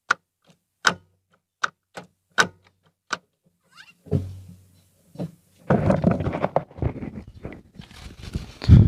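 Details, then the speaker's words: Ford Fiesta after repair, mic in same spot as before test (cover removed): short clean clicks as each gear engages, no grinding; earlier crack noise when shifting, worst in second, gone, shifting back to normal. "pessoal então nitidamente melhorou viu melhorou bastante mesmo barulho voltou ao normal além gato normal da Marcha Voltou ao que era antes"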